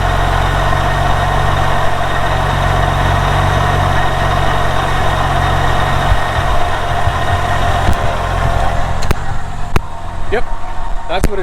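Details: Porsche 911 996 Turbo after replacing a broken idler pulley and refitting belt and airbox, checking the noise is gone: smooth, steady idle with even low rumble, no squeal or chirp from the belt side; healthy.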